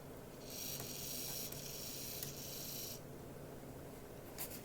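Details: Graham Farish N gauge Class 44 (later split-chassis) on test track, running forward and back: motor whir with sharp irregular clicks, nothing stuck on wheels, motor quiet; owner believes a split gear on one axle; clicking from cracked axle gear.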